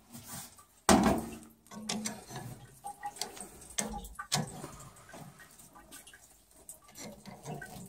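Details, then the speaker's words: Boiler expansion tank waterlogged: hand taps give dull, dead thuds with no hollow ring, tank full of water; tank is warm and still draining after the auto vent was removed, and the tank is being replaced. "Tank's kind of flooded, so it's warm as can be and it's still draining."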